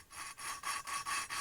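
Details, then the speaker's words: Hand-lapping a CB250 exhaust valve with coarse grinding paste: gritty back-and-forth rasping, about four strokes a second, harsh and scratchy; the seat is still rough. "lighting a fire if you can hear that quite rough you'll hear the sound change and just keep lifting it up tap it about"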